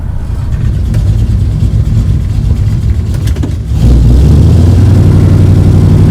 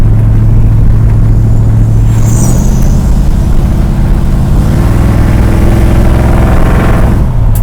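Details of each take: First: 1973 Dodge Dart Swinger V8, test drive in second gear at about 40 mph, only at a certain part-throttle position: tinny rattle/whine over deep drone from bell housing area, found to be a bent bell housing dust shield. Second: 1973 Dodge Dart Swinger V8 road test after dealing with the bell housing dust shields: deep, steady rumble pulling evenly with no whine or rattle from the bell housing; earlier noise gone, steering column rattle remains.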